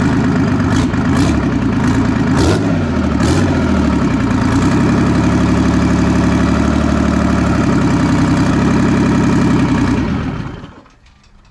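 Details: Clark diesel forklift that sat unused for years, revived with 30 psi oil pressure: a few quick blips, then a steady, even diesel clatter at idle before shutdown; it runs healthy.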